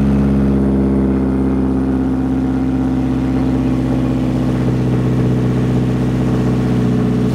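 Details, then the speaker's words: Subaru FB20 with a new front pipe and 200-cell high-flow catalytic converter replacing the clogged one, run without the resonator and tailpipe: a deep, steady, throaty drone at constant revs, much louder than stock. "Oo, that actually sounds really, really, really, really throaty. It sounded pretty good, too."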